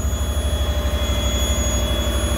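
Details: Lexus IS200 with swapped Toyota 1UZ-FE V8, after fitting Audi R8 ignition coils and a larger aftermarket throttle body, in about -20 °C: deep, even burble with steady pulses, running smoothly with no misses; normal idle.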